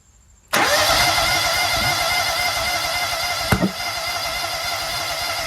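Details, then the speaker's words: Toro Z-Master mower with a Kohler EFI twin, after its fuel fuses were checked and the fuel pump was confirmed running: the starter spins it at a steady beat for about five seconds with no start; spark is now present and the owner suspects injectors clogged by black fibers. "Well, I think we're getting spark now. Yeah. So, I think the fuel injectors are clogged. We're now getting spark. It wants to start."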